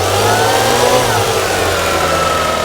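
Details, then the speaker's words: 1994 Lexus ES300 1MZ V6 at about 74,000 miles, fully repaired after months in shop: smooth even idle through a light rev blip and settle, no knocks, ticks or misses; healthy engine. "you notice that rev up this is the sound of an extremely healthy 1mz if runs perfectly fine"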